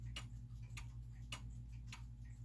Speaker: so a clock in beat means that it's an even spacing between the tick and the talk